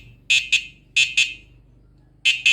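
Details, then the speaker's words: Uwinfly DF8 electric bicycle after its new horn was installed (the original never worked): normal turn-signal beeping, sharp high beeps in pairs repeating about every second, because the indicator is wired to sound through the horn. "Nah, itu nyalanya kayak gitu. Soalnya ini ya, ini sennya ngerangkap ke klakson ini."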